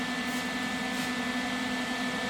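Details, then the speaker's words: Lincoln 180 amp MIG welder with an air freshener placed at the rear vent: steady even fan hiss with no high-pitched whistle on it; the cooling fan now runs quietly and normally. "fan working but he's saying that the the high pitch sound is off like no more and now you can hear it now you don't hear it"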